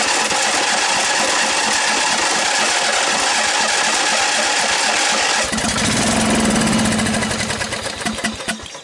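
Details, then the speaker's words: Snapper 38-inch scrap riding mower; starter cranks at a steady, slightly uneven beat about five seconds, then engine catches and briefly runs before fading. Engine cranking then catching. "yep should turn the key on doesn't it try choking it hey he's running all right"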